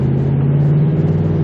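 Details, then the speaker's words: 2002–2005 Ford Explorer with 77,000 miles, driving: a steady low hum under the road rumble from worn rear wheel bearings, which have been replaced before. "it needs new wheel bearings. And not only that, this isn't the first time it's had the wheel bearings replaced."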